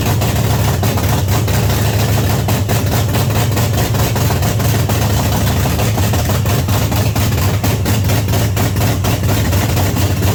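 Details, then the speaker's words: 1979 Pontiac Trans Am, overhauled 400 V8 first start, loud deep burbling open-header idle, steady but heavy and uneven; very rich, black smoke from carburetor, floats suspected too high, not confirmed. "It's really, really rich. I might have the floats might be a little too high in it. Because it's blowing the black fog out of it."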